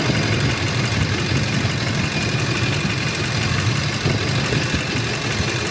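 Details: Ford F-150 2004, 5.4 V8, codes P0301–P0304 and P1131, cylinders 3 and 4 misfiring: lumpy, uneven idle with irregular low thumps; engine misfire at idle.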